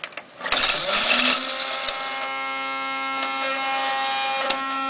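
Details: Dell optical drive, disc stuck and won't eject after Windows reinstall: rushing spin-up settling into a steady, loud, high whine as the drive spins hard; cause unknown, loud enough to force shutdown; optical drive loud spinning noise.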